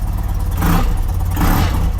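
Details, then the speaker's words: 35-year-old BMW being prepared for a South America trip, on a test start in neutral after parts were replaced: two crisp throttle blips rising and falling cleanly, with even firing and no valve-gear ticking; sounds good. "Okay, wir sind im Leerlauf ziehen und läuft klingt auf nächsten Blick auch alles gut."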